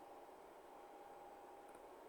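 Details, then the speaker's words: Alta Labs S48-POE network switch after fitting Noctua fans (about 5,000 rpm): a soft, steady airy hiss with a faint thin tone, no rattles or surging; airflow feels about the same as the stock fans, but quieter. "But this thing is working, and I could feel lots of air coming out of here. About the same amount as what these were."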